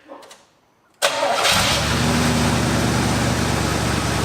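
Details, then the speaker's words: 1972 Cutlass after 33 years in storage, started again: a quiet crank, then it catches and settles at once into an even, steady rumble with no stumble or miss. It sounds much smoother; initial timing was then checked at about 13 degrees. "sounds so much smoother like wow"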